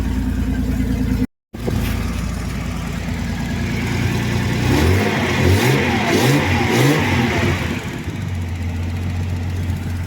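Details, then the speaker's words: Datsun 280ZX after a rod knock scare, idle set slightly high while it heat-cycles before an oil flush: engine revs up and settles smoothly with an even, knock-free beat under some music. Runs well, normal. "I got the idle up a little bit high just so keep everything going."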